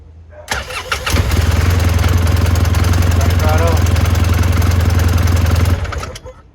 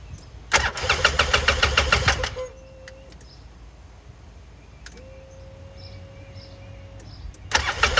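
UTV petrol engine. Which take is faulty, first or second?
second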